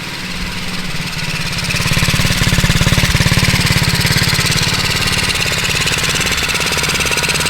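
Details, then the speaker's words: 1978 Honda Z50 with new 88cc big bore kit, just started after rebuild: crisp, even single-cylinder putter about three and a half beats per second, settling steadily without misses; normal healthy idle. "thing sounds awesome. Man, I'm glad I stuck with kicking that thing around for a minute."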